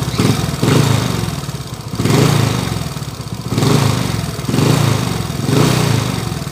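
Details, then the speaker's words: 2017 Smash 115 single-cylinder motorcycle engine with a timing chain at idle. It surges in heavy rough swells with excessive vibration, as if something is fighting inside, caused by a bent crankshaft. "masyadong ma- vibrate na boss an y yung andar niya"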